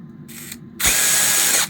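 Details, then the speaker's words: DeWALT DCF922 impact wrench after the gearbox (reducer) was replaced during a repair that also involved the motor, board and light unit; a short, even, high-pitched buzz as it spins up and stops, with no rattle or grinding. Sounds completely different now and healthy. "В общем, поменяли редуктор. И звук уже совершенно другой."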